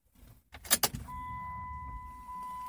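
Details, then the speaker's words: 1998 Chrysler Town & Country, key turned: only a thin steady whine, no starter click or cranking; instrument cluster stays dark, blamed on deteriorated cluster solder joints triggering anti-theft, not the starter. "turn the key you hear a little bit of a whine but you don't hear the starter engaged you only hear the click of the starter or you don't hear click click click"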